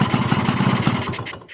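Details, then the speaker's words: Crystal two-stroke with a normal carburettor and no leaks: fast, buzzy idle runs unevenly, then dies when set toward 1,500 rpm. It also cuts out on sudden throttle. Owner suspects compression over 100% or the head cover. Stalling at low idle. "เห็นมั้ไม่ผิดเลยดับนะครับก็สันนิษฐานว่ากำลังอัดเกิน100%เพราะว่าคาบูมันไม่รวน"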